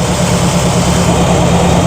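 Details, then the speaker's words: Carbureted V8 after two-jet mixture leaned for maximum vacuum and timing tweaked, throttle lifted slightly: steady even low rumble, smooth idle rhythm, no misses or knocks; normal idle. "Lift the throttle just a tiny bit. Let's see where she lands. That's not bad."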